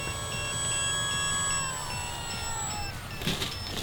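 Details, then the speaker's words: Origin Hobby Wilga-2000 electric RC plane in flight on its maiden flight, after throttle climbs drained the pack. Short, evenly spaced high beeps from the added low-battery indicator sound over the motor whine, signalling time to land. "so time to land that's my low battery indicator that I put in there"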